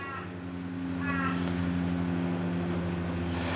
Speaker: yep that water is definitely not leaving so i reckon i have a good feeling maybe the pump is stuffed